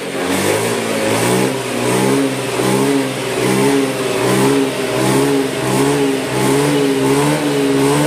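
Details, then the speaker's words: Scooter with compression loss, oil added to the combustion chamber, restarted: repeated quick blips about one a second, climbing and falling cleanly while the exhaust smokes to burn off deposits; normal revving. "sambil digas-gaspel ya nah ini knapotnya sudah ngebul kayak gini sambil gaspol biar kotoran-kotorannya ikut hilang ya"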